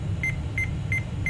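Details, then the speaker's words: AMI BIOS seven-beep POST error from a mystery i486 DX2 tower with turbo engaged: short sharp high beeps repeating about three times a second over steady fan hum. "okay we've got turbo engaged we've got seven beeps"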